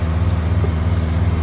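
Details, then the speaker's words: 61-year-old one-owner Morris Minor 1000 four-cylinder, just after cold start on choke in neutral: steady even low burble, no knocks or misses; idles smoothly. "Hopefully, it should fire up. Oh, nice. At least it's got that going for it. It will actually start up."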